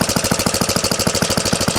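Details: 1970 Rupp Scrambler small single idling: an even putt-putt of about eight pulses per second with no knock, confirming the earlier knock was in the old Max Torque clutch.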